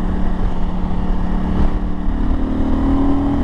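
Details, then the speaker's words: KTM 890 Adventure R Rally twin with a Wings exhaust, riding a twisty mountain road: pulls hard and evenly, with quick crisp quickshifter auto-blips on the downshifts and no misfire or rattle. The quickshifter is working properly. "oh that quick shifter sounds so good when it blips like that"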